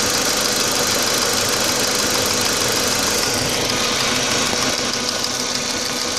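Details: 2004 Audi A4 B6 1.8T idling rough after a new water pump (the cracked impeller had caused overheating) and a new timing belt; an uneven, ragged idle with a loose irregular pulse and a hissy top end, cause not pinned down.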